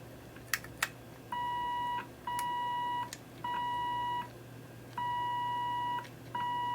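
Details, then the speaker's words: RCA 66X1 radio, signal injected at the RF stage plate: a clean steady ~1 kHz tone comes through in even bursts over faint hum, so the coil/capacitor/resistor network is at least partly working; RF stage passes signal normally, plate voltage still to check. "all right you can hear it it does come through from the plate so that means that the network there the little coils and capacitors and resistors it is at least somewhat working and is allowing the signal through"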